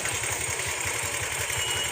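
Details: Bajaj Pulsar motorcycle after timing chain replacement and tensioner adjustment: even idle thump at about six beats a second with clean valve-train ticking and no chain slap; normal idle.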